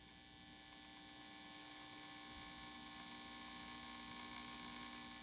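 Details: 1952 Wards Airline AM tube radio after fitting a new 12AU6 (pin voltage now -1.8 V): steady low mains hum dominates with only a faint station audible; reception still weak.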